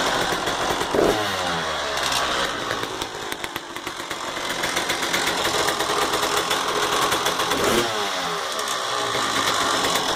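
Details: 1999 Honda CR250R two-stroke single revving and dropping back: a dry metallic rattle rides over the exhaust crackle, with the source not pinned down. Engine rattle.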